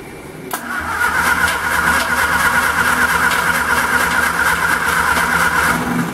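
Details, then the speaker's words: Homemade 200 A DC portable welder (WWII aircraft generator driven by a 1946 Austin Dorset four-cylinder pushrod engine), choke on: the starter cranks evenly for about six seconds with no firing; owner suspects no spark. "okay looks like we don't have any spark so uh I think I'm going to go ahead and um build my wheels anyways"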